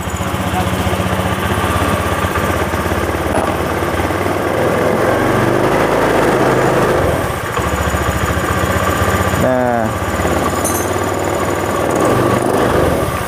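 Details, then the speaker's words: Honda Beat FI small single-cylinder scooter engine, started after teardown where the piston and bore were badly scored and the piston pin was seized, idles in a steady, even putter with no ticking or knocking; sounds smooth. "di sini saya pikir halus jadi tidak ada klinik-klitik ataupun itu ya jadi suaranya halus"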